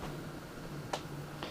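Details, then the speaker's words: NZXT Phantom 410 case fans on the built-in fan controller at medium speed: low steady hum with faint ticks, vibration or electrical noise suspected; the noise vanishes at the highest setting. Later identified as a fan controller issue with a replacement fix. "and now I'm going to set it to medium fan speed seems be to be producing some sort of weird noise in there not sure if that's any vibration or electrical noise"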